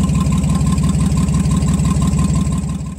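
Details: Nissan Z31 engine, injector firing groups rewired back to pre-recall configuration to fix misfire and verify wiring; idle pulses unevenly about three beats a second with rhythmic lope, one cylinder suspected misfiring: engine misfire.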